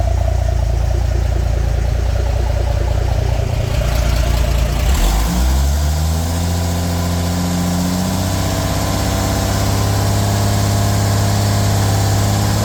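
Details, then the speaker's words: Narrow Gauge Bombardier engine after a new thermostat and gasket for running hot (an air lock in the heater hoses is suspected), taken up to 2000 rpm with the heat gauge where wanted: it settles from a rough rumble into a steady, even drone; normal running. "we're taking it up to 2,000 here"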